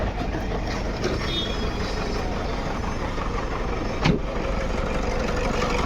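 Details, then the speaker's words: Engine misfire at idle on a 2011 Toyota Fortuner diesel with pickup drop on acceleration and code P0200: rough, uneven idle beat from one cylinder whose injector wiring is damaged. "Engine missing हो रहा है miss fire हो रहा है"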